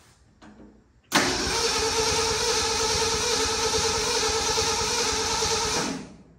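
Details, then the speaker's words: 1967 Ford F100 that sat 28 years, cranking after fitting a new ignition part and reconnecting the coil. Steady starter whirr for about five seconds with an even rhythm; smoke seen but it never catches, owner unsure there is spark. "I'm seeing smoke. Still not convinced that we're getting fire."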